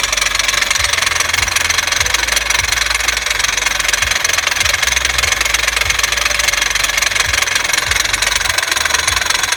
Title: 2006 Honda Civic makes a knocking sound when braking and stopping? Could it be a bad CV Axle?